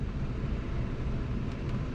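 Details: Trane Oxbox heat pump with a furnace, during checkout with the zone board (outdoor sensor 69°F, supply plenum 72°F): smooth, even low rumble with no knocks, rattles or squeal. The blower is running normally.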